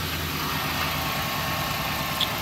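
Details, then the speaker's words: 1999 Ford Taurus 3.0 OHV V6, jump-started with a lithium jump pack from a discharged 9.90 V battery: smooth, even idle with a steady mid-pitched hum and no stumbling, running on its own with the alternator charging. "And she's running under her own power now. Charging up."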